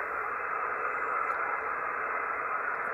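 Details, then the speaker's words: Yaesu FTDX5000 on 10 meters, RF amp 1, with power line noise; after engaging the noise blanker the harsh buzzing grind softens to flat hissing static, interference reduced. "now i'm going to engage the noise blinker in this radius not not a bad noise blinker here on the ftd x5000 and it took it down"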